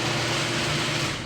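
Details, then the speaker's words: Garage door opener triggered remotely via newly installed Wyze garage door controller app: short smooth whirring run with even motor drone, no clunks or scraping as door opens; normal operation. "so look at this opening here comes the garage opens"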